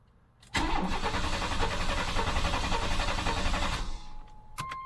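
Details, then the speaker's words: Typhoon engine sitting over 10 years, plugs out, transmission fluid in cylinders, coil unhooked, new battery: fast, even whirring crank with no compression pulses, grinding or clicking; starter spins the engine strongly and freely. "Okay, so that sounds pretty good."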